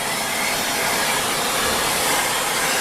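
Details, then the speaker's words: New 2018 Shark Rotator Speed Lift-Away vacuum, brushless motor, picking up debris on baseboards and a door: steady, even high-pitched rush of air with no catches, rattles or pitch wobble; vacuum motor running smoothly and healthy. "You hear that nice brushless motor going?"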